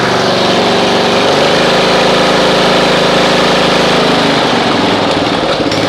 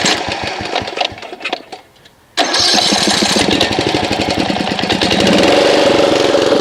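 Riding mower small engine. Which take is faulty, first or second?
second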